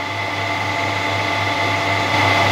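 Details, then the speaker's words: Harrison M300 lathe after service (new drive V-belts, fresh apron, headstock and gearbox oil) run at 370 rpm: smooth steady hum and gear whir, belts running smoothly, no knocks, grinding or unusual noises; normal running. "generally then I'm really happy at the minute how that La sounds No weird noises and everything seems to be working as it should so that's brilliant"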